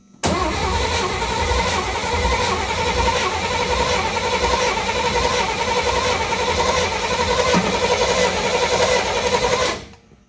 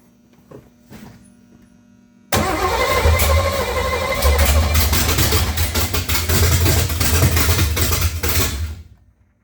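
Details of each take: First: 1955 Chevy with newly installed 355 engine and M20 Muncie 4-speed, first fire-up after building oil pressure with new fuel pump: steady starter cranking with an even chug that never catches for ten seconds; cranks but no fuel. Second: Freshly built 355 small-block Chevy V8 (double-hump heads) in a '55 Chevy, first fire-up after cranking to build oil pressure and getting fuel: short crank, fires and settles into a loud, deep, steady rumble about six seconds before shutoff; normal first start.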